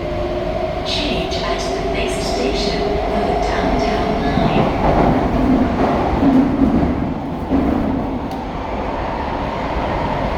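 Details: SMRT KSF A metro train C151A 563/564, Changi Airport to Expo, entering tunnel: sustained high squealing over rail rumble, wheel screech, a known issue on some KSF A trains, cause unknown.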